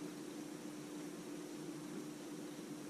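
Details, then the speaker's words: Navien NCB-240 combi boiler with flashing service wrench: fan keeps running with steady airy rush and low hum, no burner cycling, heat off and no hot water demand; noise localized to top fan motor, cause unconfirmed. "we have the heat off right now nobody's calling for water and the fans still running"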